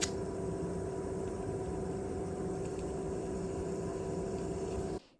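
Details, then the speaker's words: PS3 DualShock 3 controller spare rumble (vibration) motor, salvaged untested from a faulty board, bench-tested as a replacement: steady even buzz and constant hum that stops cleanly when power is removed; runs fine, normal. "yeah this one seems to work properly as well so we can always keep it as a spare just in case we come out to another controller that needs replacement"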